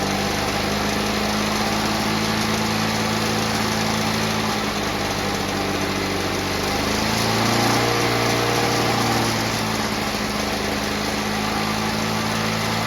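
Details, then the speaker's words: Victa Mustang 2-stroke mower rebuilt from junk with a Powertorque engine, fresh two-stroke fuel; crisp even buzz at steady speed, briefly picking up and settling back; left to run out of fuel; healthy engine. "let that run out of fuel fantastic sounds like a really healthy engine"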